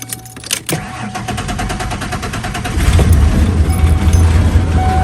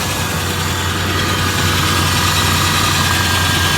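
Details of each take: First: Junkyard 1994 Ford Ranger XLT 4x4 that has run up to 45 minutes without overheating: the engine fires and settles into an uneven, lumpy idle with a wavering note. The owner suspects a faulty mass airflow sensor. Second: 1994 Ford Ranger XLT 4x4 from the junkyard after oil change: even, steady idle with a low regular pulse and no knocks, ticks or misses; normal idle.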